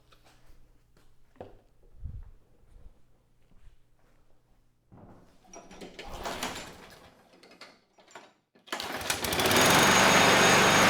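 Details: Curbside Craftsman mower 917.376655, Briggs Quantum 122T02 engine, after lowering the lift so fuel reaches the carb. Fires and holds a steady, even roar without surging or dying. Runs normally.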